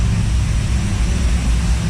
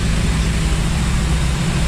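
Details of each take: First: 1955 Chevy carbureted V8 first run after rebuild, cam break-in: loud lumpy burbling idle, smells rich with slight black smoke; owner plans more timing and maybe more fuel pressure (6 psi); no knock. Rich-running idle. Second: Rebuilt 1955 Chevy engine after cam break-in, stock parts, fuel pressure 6 psi, 180 thermostat, some black smoke: deep steady low rumble with no knock or tapping; normal idle.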